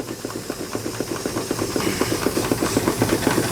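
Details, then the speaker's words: Temperamental miniature steam engine: steady chuffing about four beats per second over hiss, beats uneven and fading; labouring, losing steam; owner suspects adjustment screw. "I wish that one could get going it's always been kind of temperamental probably just got to run that little screw in there almost I can hear it losing losing Steam"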